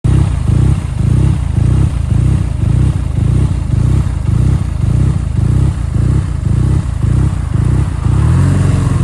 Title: BMW R NineT rough idled…. Any ideas?